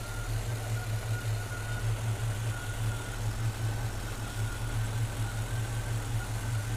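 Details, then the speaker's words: Freshly installed throttle body injection system on distributor engine: even idle with steady beat as throttle plates are opened, rising from about 610 toward 650 rpm; normal idle after adjustment. "You can hear the engine starting to go up."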